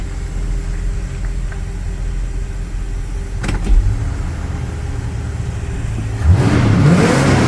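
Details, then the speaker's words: 1977 Ford Thunderbird V8 idling in park after an exhaust leak repair with muffler mud and gasket: deep, even idle with a brief blip near the end and no ticking or puffing, exhaust sounds sealed and healthy. "buy yourself a 77 T-bird bad gas mileage sounds cool but it does burn out so it's fine"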